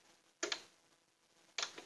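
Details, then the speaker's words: Polytron two-door fridge whose lower compartment isn't cooling and ices up: two sharp, loud clicks about a second apart from the defrost timer, which the technician judges faulty and removes. "Saya akan cabut, saya akan pindah lagi ini karena ini timer ini yang nggak bener ini."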